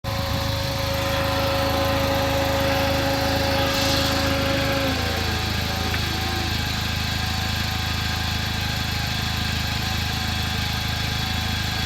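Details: 2009 Chevrolet Cobalt SS: clear steady whine over the engine, sliding down in pitch as revs drop; source unknown.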